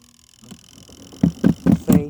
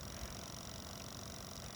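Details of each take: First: Portable washer's spin dryer with a load of tops: heavy rhythmic thumps about four a second build as the drum spins; load off balance, because a top wasn't pushed down straight into the basket. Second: Portable washer and spin dryer for campers, RVs and apartments, running a wash cycle (15-minute wash timer, strong/normal wash, drain cycles): fairly quiet, low steady hum with no knocking, squealing or grinding; normal healthy running.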